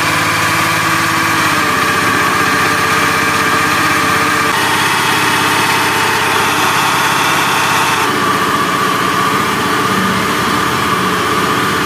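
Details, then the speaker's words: Honda Beat FI scooter running: harsh, gravelly helicopter-like rumble with a whirring note, worse with throttle; typical of a worn crankshaft bearing, the left-side bearing. "Oke, jadi suaranya seperti itu ya, kasar sekali. Kalau suara seperti ini biasanya itu krek as ya, klaker. Jadi bearing yang sebelah kiri itu biasanya aus."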